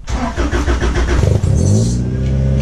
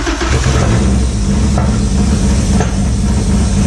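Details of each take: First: Acura EL (Civic sedan) with an H22A3 engine swap, started indoors. It cranks and fires with a few sharp revs, then drops to a steady, smooth idle with no ticking; it runs normally. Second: Acura EL (EK Civic sedan) with an H22 swap, first cold start after the swap, before the coolant was bled. It gives a loud, lumpy, uneven idle with sharp pops,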